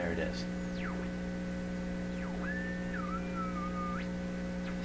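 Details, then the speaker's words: Pye 39HC shortwave receiver under test, signal generator tuned above midband: a loud, steady low hum roars under the tuning whistles and swept tones at the output, with no grid voltage change or AVC response; cause under investigation. "I'm expecting the grid voltage to vary a bit but I got to give it a stronger signal than that listen that hump's just roaring"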